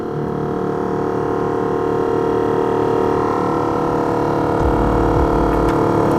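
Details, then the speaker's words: Failing blower motor on a BMW E38 with the fan set to the feet vent: a loud steady whine with a rushing roar at constant pitch, like it's about to take off, worn blower bearing suspected. Earlier the blower only worked intermittently, after a smack or bump. "okay i hear it oh what a shame it sounds like it's about to take off"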